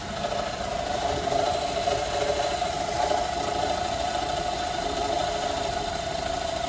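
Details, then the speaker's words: 2011 Chevy Traverse 3.6L with check-engine light and code P0008, idling: uneven metallic rattle from the valve train over a steady hum, audible inside the cabin; cam timing suspected, not confirmed; engine rattle at idle. "right away so it got up into the valve train you can hear it rattling the customer can hear it inside"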